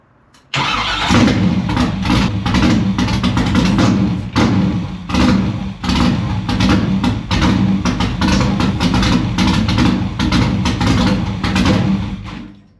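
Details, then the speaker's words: Freshly built LS V8 engine, first fire-up: catches, runs lumpy and surging about ten seconds, then dies; won't stay running but oil pressure is present; engine starts then stalls. "All right, it won't stay running, but I can live with that for now. So we're getting oil pressure."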